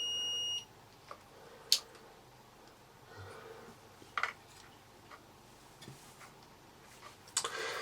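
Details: Dead Vax Air Cordless Duo vacuum cleaner disassembled, multimeter continuity test on the switches: steady high beep about half a second then faint handling clicks, continuity present, switch closes properly.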